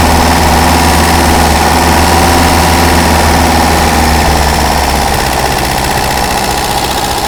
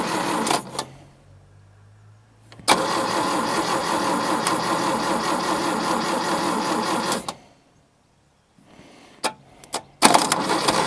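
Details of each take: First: Daihatsu F20 4x4, just started cold on a little choke: smooth, even idle at about 230 beats a minute, easing down slightly as it warms. Ignition timing is noted as a little out. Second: Daihatsu F20 4x4 started for the first time in years: long cranking bursts with gaps and a few rough catches without running. Distributor was well out, possibly fitted backwards, so the timing was far off number one.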